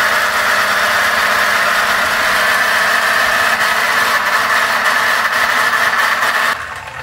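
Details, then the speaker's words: 3D-printed electric turbocharger spinning at full (100%) power: a steady high whine over light, uneven clicking of about three per second. The two gears mesh too deep by design; the gear should sit 1–2 mm higher. "it actually spins if you hear the clicking noise right that it's just the two gear meshing from my design"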